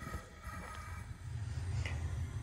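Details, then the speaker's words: AO Smith gas water heater after gas valve replacement: soft, steady low burner rumble with no popping or flutter, lighting and running cleanly. "so I got that cover back on you could hear it's running it's been running without any issues so we're heating up"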